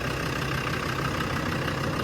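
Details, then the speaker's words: 2000 Land Rover Defender 90 Td5 turbo diesel, just started after glow plugs, fires right off: steady even diesel clatter with smooth low rumble, no misses or knocks, burns clean; healthy idle. "She burns really clean. Sounds good."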